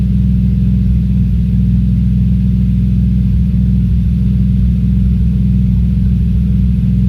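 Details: Audi S4 B5 at cold start, deep uneven lumpy idle with stumbling pulses; the engine is misfiring while cold.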